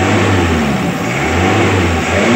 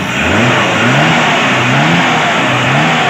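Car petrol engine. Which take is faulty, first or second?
first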